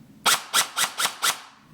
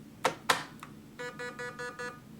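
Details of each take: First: MCX gel blaster that had stopped working, after motor rewiring, battery connected, fired on semi: five crisp evenly spaced shots about four a second, cycling cleanly without grinding or hesitation; a loose screw found afterward. Normal gearbox cycling. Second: MCX airsoft blaster with battery connected, trigger pulled: two sharp clicks as the motor tries to spin and locks, then five even electronic beeps, an error code; something locking suspected, cause unconfirmed.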